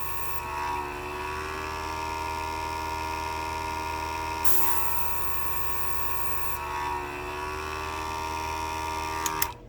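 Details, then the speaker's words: Master airbrush and portable compressor combo (18 PSI): a steady drone whose whine dips when the trigger is pressed, then builds back up. The pressure drops cause bursts and spitting of paint. "Listen to it as I push in the trigger. Builds back up. That's why I was getting bursts of paint."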